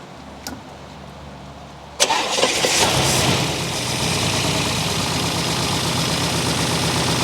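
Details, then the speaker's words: 1964 Buick Electra, sat 25+ years and freshly unseized. Fires after a brief crank and idles lumpy and stumbling; choke doesn't help. Idle circuit probably partly plugged (suspected). Water pump disconnected. "Idle circuit's probably plugged up a little. But I'll tell you what, for a seized engine, I'll take that."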